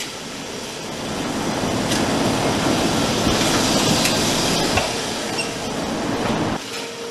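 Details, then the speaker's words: Lift trucks rolling over an industrial floor slab whose joints have no load transfer: a rolling rumble broken by sharp, irregular clicks as the wheels cross faulted joints. "did you hear the clicking noises the clicking noises of those lift trucks going over the joints and in the first video that was running the um the floor had no load transfer in it so all the joints were faulting"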